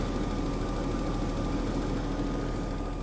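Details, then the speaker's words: Daimler XJ40 idling after a highway breakdown: an uneven, stumbling beat at about three pulses a second, with the engine shimmying and not running optimally. The fuel pump relay is not warm or loose and there is no check engine light. Owner plans to add fuel-system water remover. "you can see on the spring you can see how the whole thing is pretty much shimmying and definitely not running optimally"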